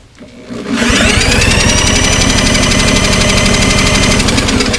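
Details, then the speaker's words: MTD mower with Briggs & Stratton Classic engine, previously no compression, possibly overheated, oil leaking at head; after refitting used head gasket, cranked with gauge reading 120: even firm chugging about four beats a second; compression healthy. "one-twenty very nice well I think this thing should run"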